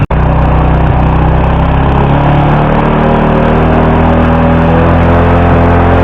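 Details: Flooded motorcycle after draining water from the carburetor and opening the fuel tank cap: steady even idle holding without stumbling, dying or misfiring; fixed.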